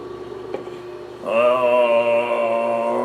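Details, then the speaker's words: Juki DDL-8300N industrial sewing machine head, switched on before sewing denim and leather: soft hum, then steady even mid-pitched motor hum with no knocks or rattles. "come on we should probably turn the machine on and listen to it hum"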